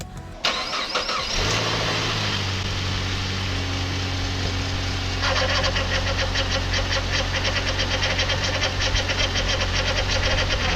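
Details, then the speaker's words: 2008 Saab 9-5, first start after rebuilding the wrecked front end: the engine settles to idle with a steady high power steering pump whine from air in the system. It fades as fluid cycles through, with no leaks seen. "sound you're hearing is the power steering pump that will go away as the fluid cycles through"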